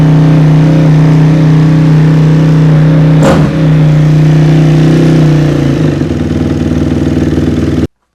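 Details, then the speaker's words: 2006 Honda CRF250R single after valve adjustment (shims swapped to set clearance), running on choke with idle turned up: steady even drone, note shifting smoothly as throttle changes, quiet valves; normal running after successful adjustment. "All right, guys. And there is a successful valve adjustment on a CRF 250R."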